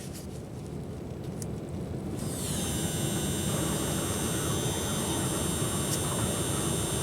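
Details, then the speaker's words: 2005 Volvo V70, 212,000 miles, crank no-start; fuel pump powered directly by jumper wires: after two seconds a thin, high, steady whine holds evenly; normal fuel pump operation. "sure does actually he heard fuel pressure now is it spinning the right way"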